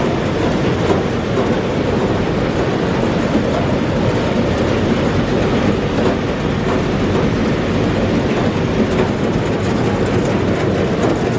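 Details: Massey Ferguson 40 combine (possibly 1996), sat 3 years, fuel and electrics refreshed; loud steady diesel clatter over a heavy rumble at constant speed without misses, engine shaking the machine quite a bit; normal running.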